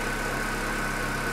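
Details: Corsa Classic 1.6 8-valve, towed in not starting with dripping injectors, with zero fault codes: short even idle with steady low hum, no misses or knocks; engine running cleanly.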